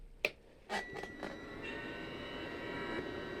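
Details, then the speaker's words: Narrowboat Webasto diesel heater, first start attempt after cleaning the fuel filter, some air still in the fuel system: a few clicks, then the fan spins up into a steady, even whir; normal start, owner suspects it may suck air. "Well, that's a good sign, it started up. And that sounds like a regular start, but it's probably just sucking air at the moment, or will be at some point."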